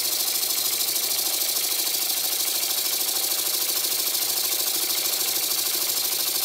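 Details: Old Bassett-Lowke steam plant with an engine resembling a Stuart S50, after the valve timing was set: quick, even exhaust beats about 2.5 per second over a steady hiss, running smooth with plenty of power.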